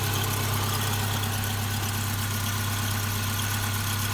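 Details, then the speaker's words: 2009 Subaru Forester, all-wheel drive, fuel injected, at idle: smooth, even, steady low drone with no knocks or misses. Slight belt squeak is noted and exhaust leaks are suspected underneath. Finding: normal idle. "Idle right down nicely."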